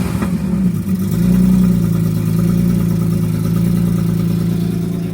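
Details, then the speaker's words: BMW E46 M3 with carbon airbox fitted, engine still cold, bonnet shut; uneven puffing chuff about four a second over the low rumble, heard loud from underneath; exhaust leak. "Sounds so bad underneath. Such a bleak coming from the exhaust. It's mental. It's still cold. But you can hear it blowing so bad."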